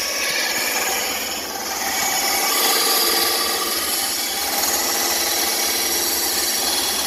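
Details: New bandsaw still being dialed in, cutting along a curved line after relief cuts: steady, even rasping cut with no bogging or labouring, blade running freely; healthy saw cutting normally.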